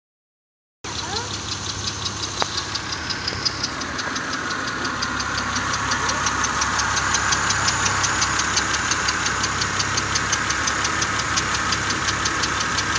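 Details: 2000 Honda Accord V6 idling with a crisp, even tick about three a second. Owner suspects an exhaust leak from a vacuum hose or a spark plug leak; plugs were replaced two weeks earlier after a misfire.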